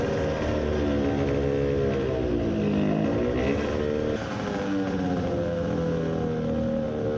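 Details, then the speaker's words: Two-stroke racing moped with newly fitted Italian race carburetor (size 40 idle jet): howling, hunting revs lean at low rpm and sputtering at full throttle; main jet judged too large. "so it didn't work well I didn't expect it to at low rpm it was lean and at full throttle it was sputtering the main jet is too large"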